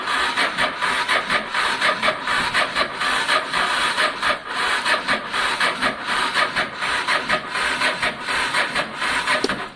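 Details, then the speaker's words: Honda Deauville motorcycle after carb clean, choke on, fuel pump not heard priming; slow, labored cranking about eighty strokes a minute with no firing, sounds unhealthy; battery and fuel pump issues suspected, fuel reaching the carbs. "Put the choke on. It's spinning quite slowly, actually, isn't it?"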